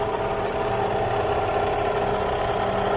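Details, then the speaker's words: 2009 Kia Carnival at idle, also with A/C not cooling: steady mid-pitched hum under an even idle, mostly heard at the water pump; noisy water pump. "humming noise noise and SL from water pum"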